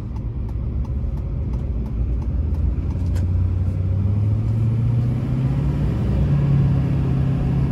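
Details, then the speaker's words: 2006 Chevrolet Silverado 2500HD 4x4 with a 6.6 LBZ Duramax diesel and Allison six-speed, 91k miles, fully serviced, accelerating uphill: the deep drone climbs smoothly through the gears with no hard shift, hesitation or slip. Healthy engine and transmission. "you can hear the lbz run as well as the allison six speed run through the gears here how it doesn't shift hard hesitate or slip at"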